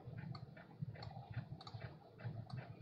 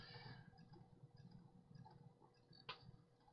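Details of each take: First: Vintage laptop during a Windows install: quick, light ticks, about three a second, as the floppy drive head steps across the disk. This is ordinary floppy seeking. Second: Vintage laptop running Windows 98 with faint irregular ticking over a quiet drive hum and a sharper click: the hard drive's click of death, judged dead.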